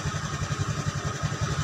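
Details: Honda Beat scooter, previously dead, idling after jumpered relay installed: low even putter about seven pulses a second, no misses or rattles; normal smooth idle.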